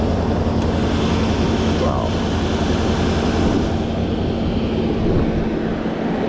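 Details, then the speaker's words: 1991 Mercedes 500SL, 39,000 miles, warm at about 82 on the temperature gauge, in drive (should be about 550 rpm): steady raised idle that won't drop back promptly; owner suspects heat and a sticking throttle linkage despite two new idle control valves. "Okay, so the idle is still high to about at the 82 mark. There it goes back to normal. See how it's hanging up?"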